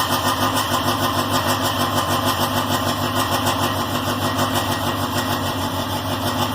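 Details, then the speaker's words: K24-swapped Honda Insight on Speeduino, after crank/cam trigger testing with full sync and a valve adjustment, runs with a steady, even note and fast regular pulse, no misfires; the earlier tick is gone, normal running. "She runs! She runs! She runs red. So there we go. We got her running again. Seems like everything's okay. Sounds good. The tick is gone, so my valve adjustment works."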